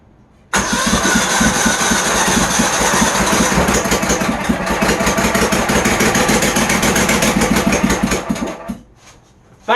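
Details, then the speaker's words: Troy-Bilt GTX 20 engine, after a longer rocker arm bolt was fitted, run on sprayed car cleaner; it cranks, catches and runs about eight seconds with an uneven, chattering beat before dying; rough running, another issue still unresolved. "I know it didn't sound the greatest but I think that's a heck of a start we're finally getting somewhere here"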